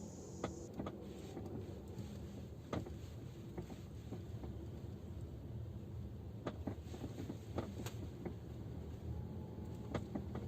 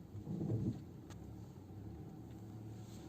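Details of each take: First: Geely Atlas driving over rough forest road: sharp irregular knocks from the rear cabin, caused by the rear seatback latch mechanisms knocking at the latch eye on both sides; temporary fix wrapping them with electrical tape. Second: Geely Atlas cabin on a rough road after wrapping about three turns of electrical tape on the rear seatback latches: low even road rumble, the months-long knocking from the rear seatbacks gone.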